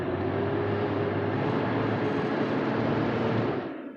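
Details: 2003–2006 GMC Envoy / Chevy Trailblazer electric radiator fan clutch heard from inside the cabin; loud, steady airplane-like whooshing roar with a faint hum, far too loud for a fan; failing fan clutch, blamed for high fuel use and check-engine light.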